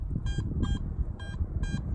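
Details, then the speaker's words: Garrett AT MAX metal detector swung over a target in a West Virginia field: four crisp, bright beeps about every half second over footsteps and rustling; strong clean target signal, screen reading about 80–81. "All right, so we got a really good signal right here, and Fisher's gonna swing it so that you can hear what it sounds like."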